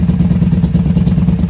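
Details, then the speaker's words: 1994 Honda Magna 750 VF750C just started on choke after fuel line repair, airbox removed: deep, even burbling idle with no knocks or misses; runs surprisingly well, normal idle. "Hey, she sounds good. She sounds great. I'm surprised she's running so well without the airbox on."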